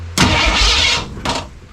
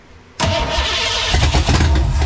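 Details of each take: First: 1967 Mustang drag car at its first start attempt, with coil and distributor, testing whether the starter is hooked up: short burst of starter whirr turning the engine over, then a brief second bump; starter engages and cranks normally. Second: 1967 Mustang V8 drag car, first start after about 30 years not running: cranks, catches, then settles into an uneven, choppy, loping idle with some smoke; lopey idle from an overly aggressive camshaft.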